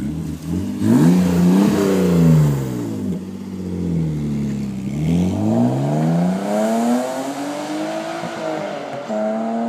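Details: BMW with an M3 engine swap doing a fly-by: revs rise and fall through repeated pulls, smooth and even with no stumble. The misfire, due to a dirty MAF, was fixed, though it still runs rich.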